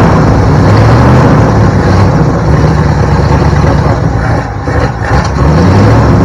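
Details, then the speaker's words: 1972 Ford Bronco 302 V8, first start in at least 20 years after confirming spark and supplying fuel: deep, lumpy rumble holding a steady, slightly uneven run with a small stumble midway; engine running again. "Okay folks, that is it for this episode, but I think we can chalk it up as a win because Project Krusty, which is what we're calling our 72 Bronco project, is officially a runner now."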